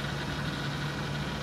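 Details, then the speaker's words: 1994 Ford Crown Victoria at idle with a faint constant whine over the engine from the power steering pump. A power steering leak is suspected. "On the side note, I think this has a power steering leak. You can hear the pump whining a little bit. Little power steering pump whine, so you might want to look at that."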